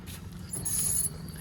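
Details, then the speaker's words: Toyota 4Runner brakes after mudding, turning with the wheel: low rumble with a brief thin high-pitched squeal; the pad wear tabs are hitting the rotor, so the pads are worn out. "Alright guys, so the wear tabs are hitting. You can see right here. That's what's causing the squealing sound at the bottom right there."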